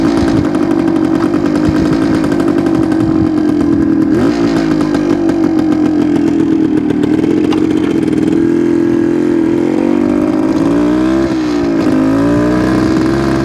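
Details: 1972 Suzuki TS250 two-stroke riding on road: drone wavers and struggles to climb as throttle opens; off-idle hesitation, owner suspects plugged pilot jet.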